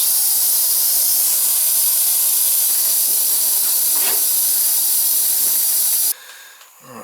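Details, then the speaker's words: Old boiler that blows its relief valve every day or so, being refilled to about 12–15 psi; steady high hiss for about six seconds then sharp cutoff, air bleeding out the boiler's high vent during refill. "And should be self-bleeding. I got a vent here, and I got a vent here. Get rid of the air."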